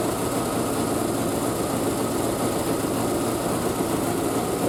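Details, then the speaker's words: Triumph Spitfire after a single-carb conversion, unstarted for a couple of weeks, warming on choke from a cold start with the exhaust wrap steaming. Steady, even idle with a smooth low rumble and no misses or knocks; a healthy idle. "So let's give the choke a yoink and see if she starts up. Hasn't been started in a couple of weeks because of the weather."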